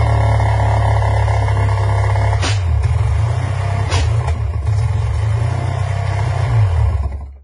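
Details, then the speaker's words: Two-stroke Sea-Doo after a complete rebuild, restarted after a spring adjustment made to cure backfiring: a low, even burble with no pops or stumbles, then a clean cutoff. It now runs normally. "and it runs better"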